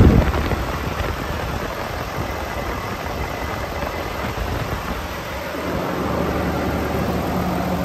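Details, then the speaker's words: 2018 Volvo VNL630 truck, Volvo D13 455 hp, 1750 torque, iShift, engine hot (170°), fast idle with oil filler cap off showing no blow-by: steady low diesel rumble under constant fan roar, fan staying on because A/C left on; healthy, no leaks. "the fan was running continuously because I left the air conditioning on so the fan is the fan is going to cycle when the air conditioning is turned on it's just going to stay on"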